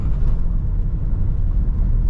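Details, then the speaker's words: Toyota Innova Hycross hybrid with CVT-like transmission under full throttle: heavy steady low drone with rough rumble, revs high and loud, like something dragging under the vehicle; no clear mechanical fault, cause unconfirmed. "మనం full accelerator ఇచ్చినప్పుడు sound అనేది చాలా ప్రొనౌన్సింగ్గా ఉంది."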